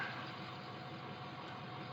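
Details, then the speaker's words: Ford 6.0 diesel truck, being chased for a hot no-start and towed in: quiet, steady, smooth idle with no knocks or misses. Batteries read only 12.5 V; owner suspects the alternator. Normal idle. "But, I mean, as you can hear, this engine, it idles just as smooth as can be."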